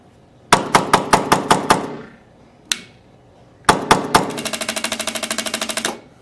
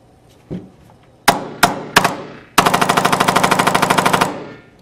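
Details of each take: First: Tippmann X7 Phenom paintball marker that fires in mechanical mode but not electronic mode: the e-grip trigger gives dry clicks in slow then rapid bursts with no firing pop. A firing pin issue is suspected. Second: Tippmann X7 Phenom paintball marker that fired mechanically but not electronically, after greasing the trigger pad plug pin and reinstalling grip; three single cracks then rapid even burst, now firing in electronic mode.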